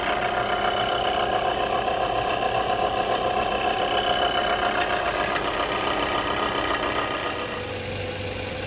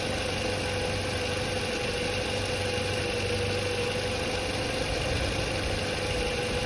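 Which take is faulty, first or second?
first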